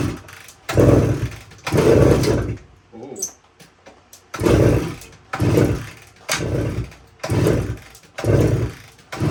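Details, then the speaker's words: 1972 Suzuki TS185, fuel valve on, key on, choke applied: kicks about a second apart give brief puffs that die away, never runs; compression still very low after head gasket ring, owner suspects worn rings. "so I'm not having any luck getting this thing to run uh so I decided to run another compression test here and looks like we're still really low"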